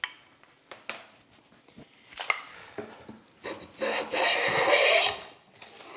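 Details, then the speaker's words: Hand plane blade chattering on hard cherry at a very light setting: uneven rasping strokes that skip and jump instead of a smooth shave; owner suspects a poorly supported blade flexing, digging in and bouncing out, or possibly a sole not flat. "skipping and jumping now i'm trying to determine why this is doing what it's doing it could be that the sole is not flat i suspect the blade is just simply not well supported and it's it's it's flexing it digs in bounces out digs in bounces out"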